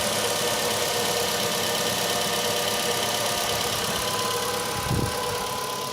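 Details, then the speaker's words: Ravon R3 cold start at -10°C outdoors, morning, after cleaning alternator belt and pulley grooves of embedded grit that caused whistling: steady, even hum with no belt squeal or chirp, quiet running; normal idle, fix confirmed. "открываем капот подсчет тоже слышу опять тишина значит все это реально было иметь тишина"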